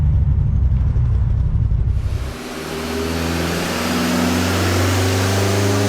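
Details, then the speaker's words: Rebuilt BT 1.8T 20v Mk2 with GTX2867 turbo and 270/257 cams, after a drive: deep, slightly uneven lumpy cam idle, healthy for the setup. "Just want to get that cam idle for you guys."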